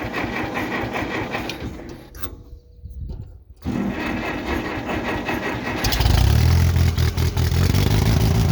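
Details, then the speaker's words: 1967 Case CK 530 Construction King tractor after fixing a constant misfire traced to a valve not opening: starter cranks, engine catches and settles into a steady, even low beat on all cylinders. "starter that sounds like a happier tractor"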